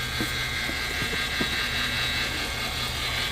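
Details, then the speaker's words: Travel rig at idle: high steady power steering pump whine from low fluid, heard before fluid is added; owner will most likely replace the pump. "so it looks like the power steering pump has been having its issu so I will be most likely replacing that"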